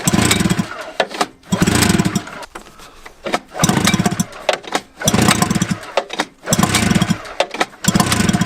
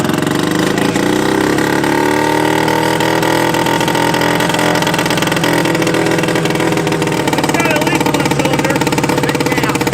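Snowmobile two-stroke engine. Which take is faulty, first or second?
first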